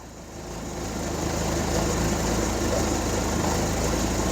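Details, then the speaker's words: Hyundai 30L-7M forklift, GM 3 L LPG engine with GCP system, idling into closed loop: steady low idle with a slightly uneven lumpy beat, running too rich; DTC 1152 closed loop LPG low follows as the ECM cuts fuel to minus 35. "I would not doubt the oxygen sensor reporting bad because I can't smell it from the exhaust like this is really running rich"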